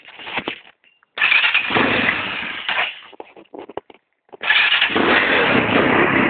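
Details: 250cc D7 motorcycle after its misfire was fixed: engine catches after a few bursts, then revs and holds a steady, even note.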